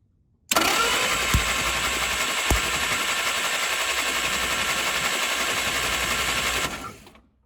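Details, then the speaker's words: 1947 Willys CJ2A sat in a barn nearly a decade, cranking steadily for six seconds with no firing; distributor points give only occasional, very erratic spark. "It's only sparking every so often. And when it does spark, it's very um [snorts] I don't even know what to say it. It's all over the place. It's very erratic."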